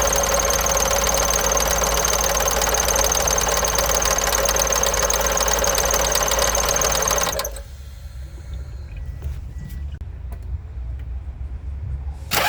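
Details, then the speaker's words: Toyota petrol engine idling with a fast, busy top-end rattle, then shutting off; suspected bad VVT-i gear, with internal parts moving from low oil pressure or a faulty oil-control solenoid, unconfirmed. "in most cases is usually due to the internal components within the vvti gear assembly moving slightly due to one Parts low oil pressure or a faulty solenoid that isn't properly controlling oil flow"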